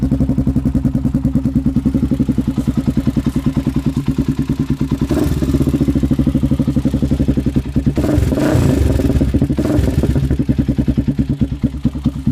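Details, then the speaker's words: Honda 400EX ATV with a loud HMF exhaust, rebuilt motor, just got running: loud single thumping at fast idle, roughly three beats a second, with a light clatter on top that rises with revs; owner suspects valve chatter. "you might have been able to hear the valve chatter in it I'm not for sure but when you're at it it's still got a little bit of valve chatter to it"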